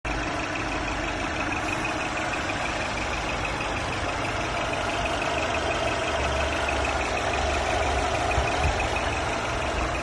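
Steady idle with a thin, high whistle that comes up midway and holds over the engine hum; whistling from the engine, source unknown.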